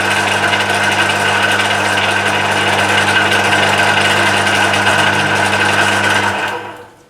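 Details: Emco Maximat V10-P lathe in power feed mode after cleanup and fixing the jamming with an aluminium-wire shear pin, run via phase converter: steady gear whir with light even chatter, holding speed until it winds down; feed runs smoothly, normal.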